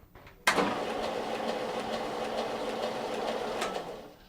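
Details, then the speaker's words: Classic 6x48 stationary belt sander slowed by large drive pulley to about 400 ft/min instead of usual 2,500: motor starts then holds soft steady hum with slow belt flutter, no grinding or slap; running smoothly. "This old timer is the classic 6x48 stationary belt sander, and I've slowed the speed down with a great big drive pulley here, and it runs at about 400 feet per minute instead of the usual 2,500, and you can even hear and see the difference when I turn it on compared to the normal sander."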